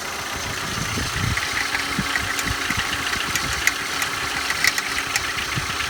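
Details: Engine idling cold: sharp, irregular ticks and clicks stand out above a steady engine hum; abnormal noise only when cold, cause unknown.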